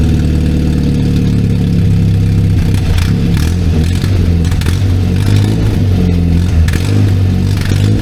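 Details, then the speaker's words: 1964 Jeep CJ5 barn find, before muffler replacement: loud, raw, throbbing exhaust at idle with rev blips and hardly any muffling from the blown-out muffler. "we're going to replace this one because it is blown out so for some good comparison of before and after I'm going to fire it up now let you guys hear it"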